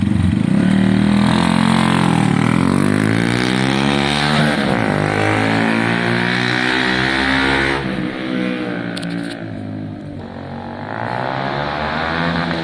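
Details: Honda CBF 125 streetfighter on a road test ride after MOT prep: single-cylinder revving cleanly up and down through the gears, pitch rising and falling smoothly; it runs and feels healthy.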